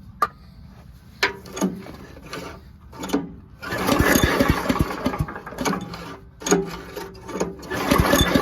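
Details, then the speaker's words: Old Giant Vac leaf blower with a 1982 8 hp Briggs engine, cold, on full choke and full throttle with carb spray: repeated pull-cord cranking that never catches or pops. No-start because the spark plug is fouled with oil. "I should have got a pop or something by now."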